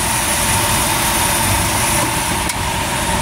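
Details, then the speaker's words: Small-block Chevy in a chassis-swapped 4x4, after machine shop replaced valve springs (120 closed, 310 open): busy idle with slight cam lope, good oil pressure, revs enough to squeal the belt, but no valvetrain clatter or knock. "Zippy enough it'll make the belt squeal but as you can see there's no more valve train noise"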